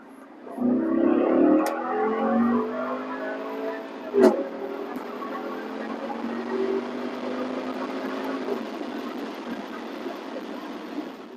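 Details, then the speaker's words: BMW F06 650i Gran Coupe, N63TU 4.4 L twin-turbo V8, after replacing cracked wastegate vacuum lines that caused limp mode and boost faults. On launch the note rises smoothly and evenly with no hesitation: normal acceleration. "Let's do a little launch here. It's definitely pretty peppy for a big heavy car like this."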